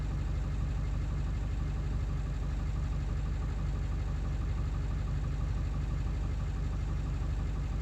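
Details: Ford 7.3 diesel after replacing the ICP sensor: deep idle with an uneven, lumpy pulse about three beats a second and clattery rhythm; still runs rough, cause unknown, sounds rougher in person.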